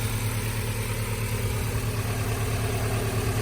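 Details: Nissan D21 Hardbody at normal idle after an aluminum radiator and electric fan install, fans not yet running while warming to operating temperature: steady, even low rumble with no knocks, surges or fan noise. Healthy idle.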